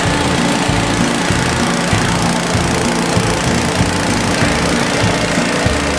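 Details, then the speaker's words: DR leaf vac small single-cylinder engine, first run after being sandblasted, with the air cleaner still off: steady, even running at a constant speed with no misses or surging; healthy. "Terral but you sandblasted it it's never gonna work ha ha in your face it works rekt nothing runs good"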